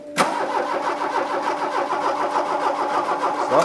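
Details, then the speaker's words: Mk2 VW Golf GTI barn find, parked 20 years, replacement 8-valve engine with spark confirmed after firing order fix: steady even cranking that never catches, no fuel pump noise heard; crank no start, no fuel delivery. "are you hearing when you turn back here you're hearing a fuel pump I'm hearing nothing"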